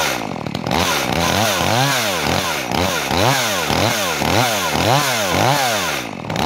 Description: Prima pornire si rodaj la motofierastraul drujba Makita EA3200S.